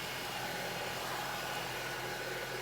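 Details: 2012 Honda CR-V (Gen 4) idling after an oil filter housing gasket job, oil refilled and drain bolt tightened, checking for the earlier oil leak; steady even idle, smooth hum, no misses, knocks or stumbles, engine healthy.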